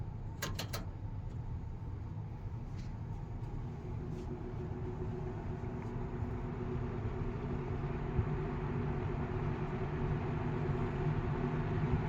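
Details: 1980 Galaxy 3713 3-speed box fan, shaded pole motor on a variac, low speed: soft steady whoosh with low even motor hum, no rattles or scraping; runs normally.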